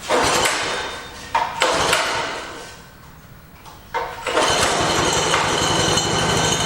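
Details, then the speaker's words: Shop mini bike, started after the chain was loosened slightly: small single revs in bursts settling to a fast idle while the bike wants to move off, the drive engaging at idle; dragging clutch suspected. "I'm going to start it up and just make sure that yeah see it wants to go with it which is what I didn't want"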